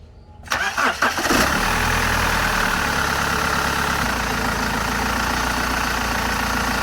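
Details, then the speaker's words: BMW E60 520d M47 diesel after replacing the belt tensioner/idler pulley assembly and new belt: starts, catches and settles to steady idle; the squeal at start and shutdown, blamed on a fatigued tensioner spring, is gone. "ก็เป็นที่น่าพอใจนะครับ หลังจากเปลี่ยนชุดตั้งสายพานลูกลอกแล้วก็เปลี่ยนสายพานใหม่เรียบร้อยแล้วเสียงสายพานตอนสตาร์ทเครื่องหรือตอนดับเครื่องที่ดังเอี๊ยดนะครับเสียงสายพานเบรกที่ดังเอี๊ยดเนี่ยเงียบไปนะครับ"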